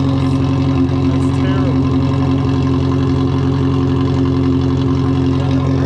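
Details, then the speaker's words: Cammed Miata pulled from a field, first start after sitting, weak battery, smoke and burning smell from tailpipe: uneven, loping idle that never settles; owners suspect it's running on only about two cylinders. Rough idle, cause unclear. "I think he's only running off of like two cylinders right now yeah it sounds like sound like the idle is really weird"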